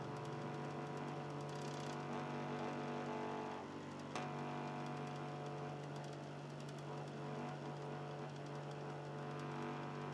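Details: Xbox 360 Slim, Philips lite-on DVD drive, console in standby. Quiet, low, steady hum with a faint rough grind and one brief click; the motor sounds lower than before and rough.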